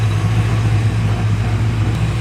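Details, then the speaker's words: Freshly cam-swapped LS1 V8, first start before cooling system finished: steady smooth idle sitting a bit high, owner plans to adjust it down; oil pressure about 60 psi, fuel pressure 63–64 psi; high idle. "idle's a little high I might have to go back there and adjust that but it sounds great phenomenal oil pressure I'm like 60 right now"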